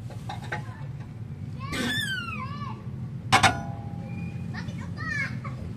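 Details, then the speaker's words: Toyota Wigo with a creak over bumps, chassis pushed down and let back up: sharp squealing creaks in separate bursts, like tearing sheet metal, sweeping down in pitch as the car settles, coming from rusted suspension joints. "Narinig niyo mga boss, ano? Meron talaga siyang umiingay. Getas!"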